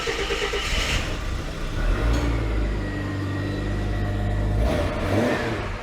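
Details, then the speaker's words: Ford Fairmont AU (Falcon-based) with Borg-Warner automatic, running at idle before a level check and gear cycling: engine picks up cleanly and settles to a steady, even hum with no knocks, ticks or misses; sounds good. "ah that look that sounds good that does sound good"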